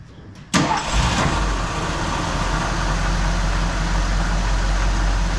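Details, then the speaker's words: 1979 Ford F100 first start after an oil change: quick catch on the first crank, then a smooth, even idle with no knocks or ticks; healthy running. "this is our best running car by far"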